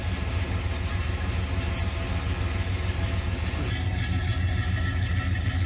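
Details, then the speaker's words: 1970 Pontiac Grand Prix SJ V8 at steady idle on first startup and cam break-in, coolant temperature coming up to 150°F (runs to about 204°F). Newly fitted headers make it louder. Deep, lumpy, even exhaust burble, healthy and normal. "There's the exhaust, got some nice little sound to it. It's a little bit louder now that we got headers on it. I think it sounds really nice."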